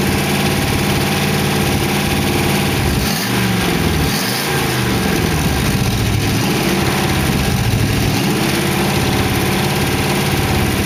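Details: 1914 Dodge T-bucket roadster hot rod V8 with carburetors and mufflers, warmed up after first start: steady, even idle with a smooth low beat and no knocks, ticks or misses. Good oil pressure; the lifters ticked at first start, then calmed down. Sounds good.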